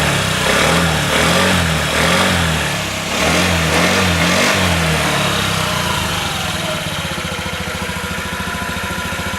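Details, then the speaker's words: Honda Ruckus scooter during tune-up, after carburetor cleaning and tightening, started and blipped: small single revs up and down, then a steady even putter with no misses; pump audible. Owner notes an earlier stutter, possibly piston or heads if it persists. "Turn her on. You can hear the pump. Now you've known the pump for a long time, so I don't know if that sounds better to you or not with the tightened up come on, get on there."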